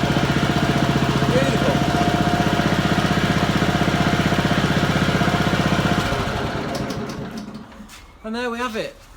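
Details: Honda lawn mower, single-cylinder, after cleaning the carburettor idle jet and float chamber to cure surging and cutting out at idle: steady, even fast putter for several seconds with no hunting or surging, a normal idle.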